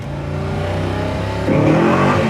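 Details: 1966 Ford Mustang K-code, 347 stroker V8 about 50 miles since rebuild, aluminum heads, new 4bbl carburetor, dual exhaust: deep, smooth burble climbing cleanly as the throttle opens, firmer step halfway; strong, healthy engine.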